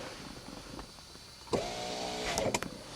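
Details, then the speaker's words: 1991 Mercedes-Benz 420 SEL, key in accessory position: window rolls down on the switch but won't go back up except intermittently when jimmied; motor whirs briefly, cuts out, hums in uneven bursts. High resistance in the power window switch contacts; switches replaced with genuine OEM parts. "But I can't get it to go back up no matter what I do. Sometimes I can jimmy it. There it goes. It's kind of intermittent."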